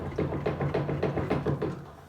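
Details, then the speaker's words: Bosch washing machine, unplugged, door open and drum wiggled by hand: rapid hollow clunks, drum bounces far too much with horrible rattling, often worse on spin; worn suspension dampers need replacing. "can hear the machine bounce, the drum bounces far too much and there's a horrible rattling sound. You may find it more noticeable on a spin."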